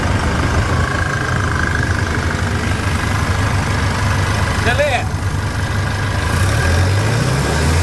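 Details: Chevrolet S10 diesel after repair of broken rocker arm in the cylinder head and engine leak: deep even idle with smooth rise when revved, no knocks or rattles; normal idle and rev.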